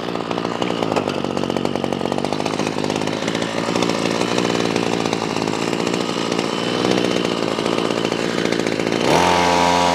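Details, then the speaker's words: Ryobi CS26 two-stroke trimmer on a replacement carburetor, high-speed screw turned back and forth near full throttle: revs wander up and down as the mixture is trimmed, then settle at best speed. "what I was listening for is you could hear the machine go up an RPM and then go down an RPM once it starts going going down in RPM go back the other way"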